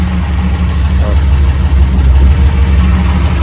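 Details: 1987 Pontiac Firebird Formula, rebuilt 350/383 stroker, 163,000 miles: deep, steady, slightly lumpy idle with lifters ticking, no knocks or squeals; rough running fixed via mass airflow sensor and timing.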